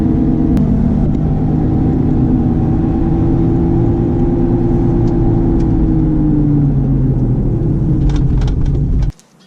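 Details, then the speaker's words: Honda CR-V RD1 while driving: a steady droning hum over road rumble that sinks in pitch as the car slows, from a worn wheel hub bearing; which wheel is not yet known. "всем привет загудел у меня подшипник ступичный слышно на камеру"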